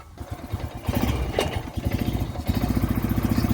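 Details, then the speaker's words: Honda Rancher 350 ATV climbing a hill in first then second gear after a carburetor jet fix: steady pull with even firing, no bogging; before the fix it would not climb in second. Clogged carburetor jet was the cause. "Starts moving up the hill. I'm going to put it in second. See how it's not bogging down."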